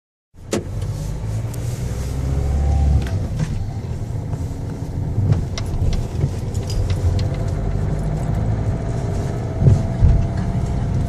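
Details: Engine running with an uneven low rumble and irregular light clicks and taps on top; unusual engine noise, cause suspected but not confirmed.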